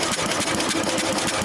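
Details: 1966 Simplicity Sovereign tractor, Briggs points engine: starter chuffs about ten times a second but never fires; push rod looks chewed up and barely moving, cam lobe possibly worn; cranking no-start.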